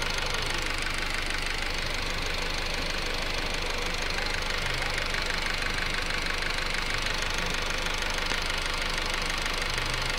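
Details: 2008 Honda Civic EX at steady idle: regular light knock about three per second from the rear of the engine, heard at different times; source not pinned down.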